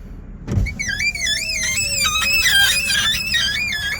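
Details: Power window moving: loud wavering high-pitched squeal over faint motor hum from glass rubbing dry rubber seals, before cleaning the seals and applying silicone lubricant.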